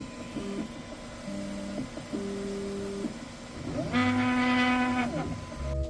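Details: Creality K1 Max 3D printer: moves hum in steady tones, then one swells into a loud buzzy mooing resonance drone, caused by an out-of-square gantry; belt tension alone was not the fix.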